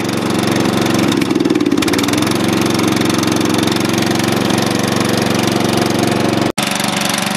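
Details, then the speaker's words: Dynamark mower engine after fresh gas, fired up first pull: small single-cylinder engine settles into even steady chatter, no stumbling or dying; running fine. "I really didn't expect much out of this one but up with the gas and it actually fired up first pull I've been believe it so at least we got something"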